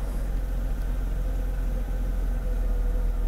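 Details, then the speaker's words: 1991 Mercedes W124 300CE 24V (M104) before repair, warm: low, uneven, lumpy idle with shaking and a strong gasoline smell; starts fine cold but stalls easily when hot. Rough hot idle. "In this state, the owner noticed it was shaking a bit. He could still smell gasoline."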